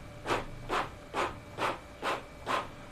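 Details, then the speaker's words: Epson L11050/L18050 inkjet printer printing 5 copies of a grayscale page with quiet mode off: regular even swishing carriage passes just over two per second with faint steady hum; faster, normal printing, no harsh noise. "Warna hitam lebih oke. Speednya lebih oke juga. Ini speed ketika quiet mode-nya di off-kan ya."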